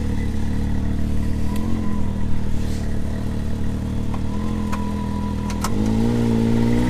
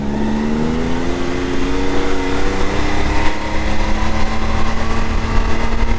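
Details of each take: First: 2022 Can-Am Maverick X3 DS Turbo 120, stock primary clutch before P-Drive install, engagement around 2100 rpm: engine climbs and a rough, uneven rattle rides on top at about 5100 rpm, stock CVT primary clutch rattle. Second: 2022 Can-Am X3 DS Turbo 120 held at about 5100–5300 rpm after installing a P-Drive primary clutch: a steady, even drone that is much quieter, and the former 5100 rpm clutch rattle is gone. Engagement is smoother and a few hundred rpm lower.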